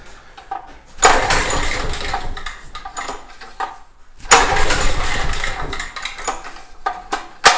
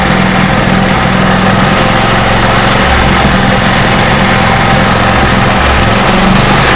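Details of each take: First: Craftsman portable generator, sat a while and likely tinkered with, governor spring suspected too strong: engine bursts to a high surging howl, drops, then races again unevenly; over-revving, risk of throwing a rod. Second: Craftsman portable generator after governor adjustment corrected (governor had gone slightly out of whack; bent spring tab is factory): loud, even drone holding one steady governed speed, no hunting or surging; runs exactly as wanted.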